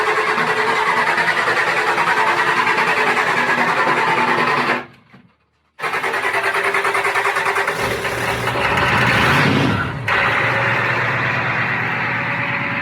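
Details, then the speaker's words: Used IDI diesel off-road truck started cold for pre-purchase inspection, never fires first try: cranking chugs, pause, another long crank before it catches into a rough clattery idle; hard cold start, cause not confirmed. "I like to have a cold vehicle before I go look at it. So it's not going to fire up. Never fires first."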